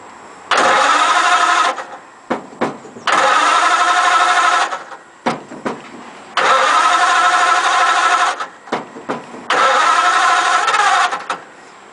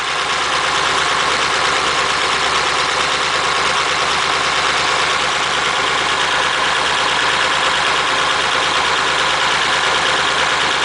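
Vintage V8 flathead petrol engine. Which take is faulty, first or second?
first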